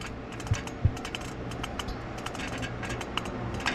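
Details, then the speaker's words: Pilot bearing turned by hand with the manual transmission removed: dry crunchy clicking, burnt and worn, suspected cause of the transmission noise, to be replaced. "Alors le roulement pilote est grillé ! Cette chose est juste en train de croustiller là-dedans."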